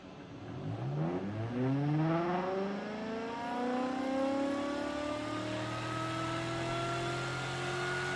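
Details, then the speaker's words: Rebuilt pulse motor, first run with half its drive coils wired (other four unconnected, trigger wires alligator-clamped), spinning up toward almost 5000 rpm, faster than before it blew up: whir climbs smoothly to a steady high hum, no rattle; running healthy. "As it is already, it's already going faster than it was before it blew up."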